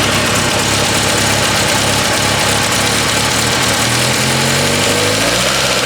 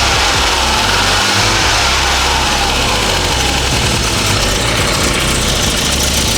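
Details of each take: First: Petrol engine that used to sputter on light throttle now idles and picks up smoothly when revved, no stumble; an exhaust leak is noted, otherwise the engine sounds good. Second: Classic car: busy uneven idle with raspy hiss and ticking puffs in the exhaust note from an exhaust leak; otherwise runs well, no longer sputtering on throttle.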